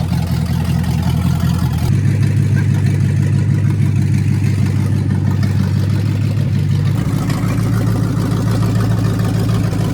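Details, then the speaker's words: Ford Mustang V8 with welded-together automatic transmission: revs run high under throttle and barely step into a shift, grabbing second only briefly; kickdown linkage pulled fully up makes it think it is at full throttle, and a return spring is planned. "Well, she don't shift, but I know why."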